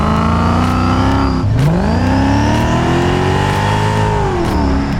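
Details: Mercedes E55 AMG V8 on the road after fitting long-tube headers and a new exhaust: deep smooth note climbing evenly through revs and easing off, no obvious ticking or puffing; owner still suspects a slight exhaust blow needing tightening.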